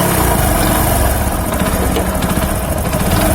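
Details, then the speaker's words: Hero HF Deluxe single-cylinder motorcycle after tappet adjustment, timing chain not opened: steady, even idle with no top-end ticking; engine sounds healthy. "किसी प्रकार का कोई टिक-टिक की आवाज़ नहीं। कोई आवाज नहीं है।"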